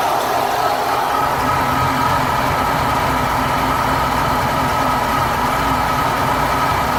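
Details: BMW E36 M3 S50B32 six-cylinder petrol idling warm with a faintly uneven, unsteady beat; the rough idle appears once oil temperature exceeds 70°C.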